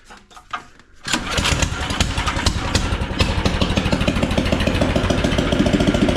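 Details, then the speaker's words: Engine swapped into a John Deere AMT600, no muffler fitted, started after draining the carb bowl the day after it flooded: loud uneven popping about three pulses per second; running rough, exhaust "not happy", cause unclear. "Yeah, we got to do something about that exhaust. It's not happy."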